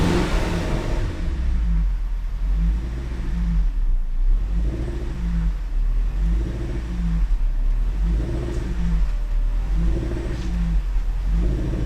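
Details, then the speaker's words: Supercharged Range Rover (L322), after MAF cleaning and PCV valve replacement, revved and dropping back to idle, which still rises and falls about every two seconds. The owner blames bad gas making it run rich and dirty oxygen sensors; fresh gas has been added. "If when it drops down it still does the thing, we'll see. Yeah, it's still doing it a bit. Still on bad gas. It's still running on bad gas, it's still running rich."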